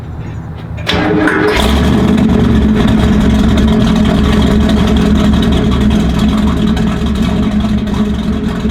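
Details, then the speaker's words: 1967 Camaro RS/SS, 396 big-block, 4-speed, original low mileage, factory-correct exhaust with oval tips: starts first turn into a deep, throaty rumble, steady and strong under blips, firing evenly with good crackle; normal running with revving. "Hey, for all you Crackle junkies out there, did you check out, this has a good Crackle on it, and that's 1967."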